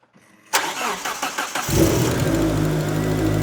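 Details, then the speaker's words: 1995 Mitsubishi Eclipse GSX with green turbo, first start after install on totally stock tune set up for a mass airflow sensor (expected to run only about a minute): starter cranks briefly, catches cleanly, settles into even idle, no exhaust-leak ticking; normal start-up and idle. "So it might run for like a minute or so because this is the totally stock tune and it's set up for a mass airflow sensor."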